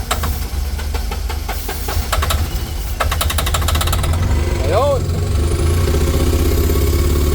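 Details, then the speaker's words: Suzuki three-cylinder turbo diesel, worn with low compression and blowby, started using brake cleaner sprayed into the air intake: catches and runs rough and uneven with irregular knocking firing. "Bakit po ginamitan natin ng ganito eh kasi po hindi na po makabuo ng compression close compression na siya"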